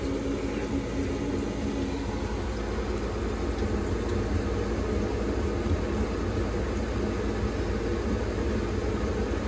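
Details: Carrier 90-plus high-efficiency furnace from 2006, likely unmaintained, fault code 32 low heat pressure switch: steady low hum with faint whir never speeding up; inducer turning too slowly to close pressure switch, weak capacitor suspected.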